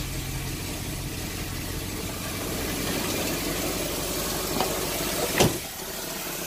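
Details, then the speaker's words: 1990 Cadillac Sedan DeVille, start after timing set (10° BTDC with OBD jumper), still cold; fairly even idle with a raspy hiss from the disconnected catalytic converter air tube, an exhaust leak. "so naturally exhaust leaks out it sounds like an exhaust leak it is an exhaust leak i haven't hooked it up yet"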